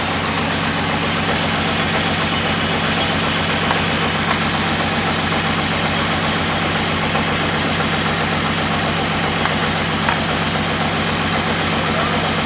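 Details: $400 drift car 3.0 six-cylinder after resealing intake manifold: steady idle with quick light puffing tick, suspected exhaust leak, unconfirmed; ticking at idle.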